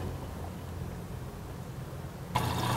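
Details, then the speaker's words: Midea HealthGuard Smart 13kg (MF200) washer on Cama e Banho cycle, load of white cotton shirts: steady hissing rush of water filling the drum for the final rinse, display at 11 minutes; normal fill, plenty of water in both program rinses. "meidei enchendo para fazer o último enxague display marcando 11 minutos Olha aí nesse enxague também bastante água na verdade ela usa bastante água nos dois enxagues que são normais do programa tá"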